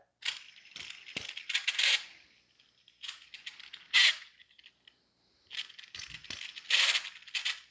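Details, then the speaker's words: Subaru timing belt system cog pulley removed and spun by hand near the microphone: gritty rattling grind in short bursts from a worn pulley bearing, one of the first pulleys to fail. "the Cog pulley here there is some noise you can hear the grinding it's pretty bad"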